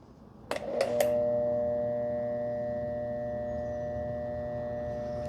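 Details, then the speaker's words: Hanabi 8003 pressure washer, 60 bar, induction motor, 127 V, first start after bleeding air from the hose; a few sharp clicks then a steady, even motor hum with clean tone, louder than the first-version Hanabi; runs smoothly. "C'est parce qu'il fait plus de bruit. plus encore que Hanabi de la première version, celle-là petite fille noire."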